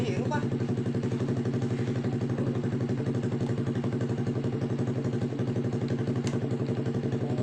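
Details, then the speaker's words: Honda Blade motorcycle after tracing an electrical short in the wiring near the battery box: the engine starts and holds a steady, even idle of about four pulses a second with no misses or knocks; normal idle. "Oke Mantap ya udah hidup semua"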